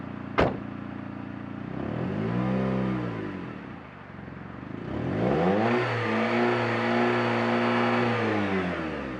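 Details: Exhaust sound test after a DIY muffler repair meant to quiet noise and keep fumes out of the cab: engine fires up, then two smooth revs rise and fall with a steady, even exhaust note, no rasp or leak ticking.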